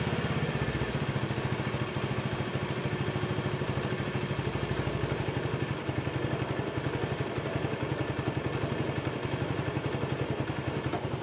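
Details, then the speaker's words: Honda CD70 after carburetor setting: quick, regular thumping at a steady idle rpm that does not hunt up and down, with no misfires; normal, correctly set idle. "ये तो दोस्तों यहां पर जो इसकी RPM है वह up down नहीं है बिल्कुल सत पर जा रही है"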